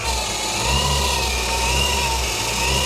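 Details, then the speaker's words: BMW 535d engine bay at idle, noise heard from the pulleys: a faint wavering whine over the engine near the front belts; auxiliary belt tensioner bearing judged pretty much collapsed. "That is not good. I think your auxiliary belt tensioner bearing is pretty much collapsed."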